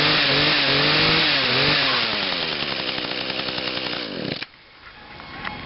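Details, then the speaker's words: Small two-stroke lawn machine on TruFuel, sat about 3 weeks, started on choke with five primes and one pull: a crisp, even buzz revs smoothly up and down, then shuts off cleanly. It runs normally after storage. "huh wow another one pull starter I did not expect that it's sat for about 3 weeks"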